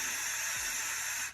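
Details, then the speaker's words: Carburetor needle valve on a 1972 Chevy K10 4x4 with a 350, being tested for over-fuelling by blowing air through it in the down position; strong, steady rush of air; free airflow through the open needle valve. "I'm gonna blow air into here, and it in the down position, it should allow full air movement like this."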